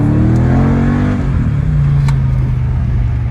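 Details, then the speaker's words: Mercedes CLK 55 AMG accelerating after fixing limp mode and poor throttle response with a $175 part replacement; the suspected cause was a throttle or accelerator position sensor. Strong, clean pull, though throttle take-off is slightly slower than the owner wants. "i'm still learning the throttle position i can tell is not kicking off as fast as i wanted to"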